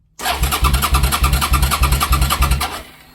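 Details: 2005 Suzuki SV650 with clutch switch bypassed, fuel present, new spark plugs, fuses checked and relay believed working, kill switch fine: starter churns steadily about three pulses a second for nearly three seconds, never fires; cranks but won't start.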